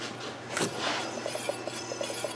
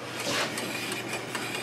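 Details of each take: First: Chevy Epica wheel bearing checked by hand-spinning the wheel: light, even rub with faint ticks, no grinding; this one sounds healthy, best of all four, while others click and likely need replacing. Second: Chevrolet Epica wheel spun by hand: a faint, raspy turning sound with soft clicks about five times a second. Worn wheel bearings are suspected, not confirmed.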